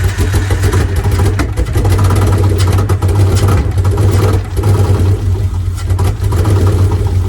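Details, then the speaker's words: Free Mitsubishi 3000 GT SL (front-wheel drive) V6 project car: a low, uneven lumpy idle with a stumbling beat; not running on all six cylinders, and two coil packs are to be replaced. "so the car is not running on all six cylinders we gotta go buy two coil packs tomorrow"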